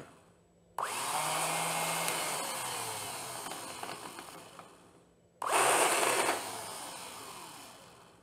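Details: 1982 Honda GL1100 Goldwing sat 12+ years, starter motor repaired and bench-tested off the bike: two bursts of smooth high whir spinning up fast and coasting down evenly, no grinding; starter turns freely.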